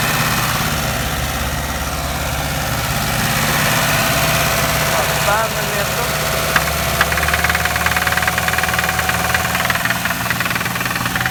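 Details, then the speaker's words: VAZ-2101 classic engine, on choke so the knock is audible: sharp, regular knock about three per second at idle that drops out when one cylinder's spark is pulled, pinpointing a worn connecting rod bearing on that cylinder. "Так, ми чуємо стук дуже ярко. Дивіться, знімаємо. Нічого не происходит. Ще один. Нічого не происходит. Вот цей циліндр. На ньому вкладиші прямо."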